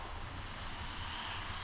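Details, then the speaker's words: Truck with new muffler, cold start around 50°F: steady deep exhaust rumble at fast cold idle, even with no misses or knocks; much quieter than before. "It's a lot quieter. Don't get me wrong, it still sounds like a loud off-road truck, but then it's a lot quieter than it was, especially because I know it would be really loud right now."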